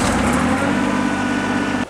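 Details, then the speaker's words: John Deere 755 tractor on a cold November day, PTO not engaged: steady engine drone that cuts off dead within two seconds, as if fuel were shut off; fuel pump heard running, oil pressure light on with plenty of oil. Cause unknown. "try it again and not run it as fast i don't know oh it died again it's dying like i'm shutting the fuel off"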